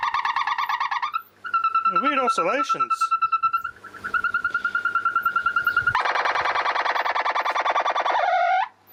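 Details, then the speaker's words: Weldon valve radio with dead radio circuits though the audio stage works: a steady high whistle with warbling, swooping squeals and a raspy buzz but no stations received at all; the set is oscillating, cause not yet found. "nothing nothing at all from the radio"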